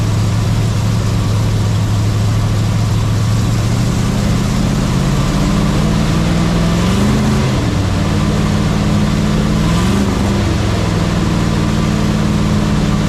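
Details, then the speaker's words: Tired old 350 small block in a 1967 GMC C10/910 pickup: idles, revs up and drops back twice, with a faint high squeal on top; owner suspects bearing trouble, squeal noted when oil pressure drops once warm. "But I'll let you guys hear that squeal."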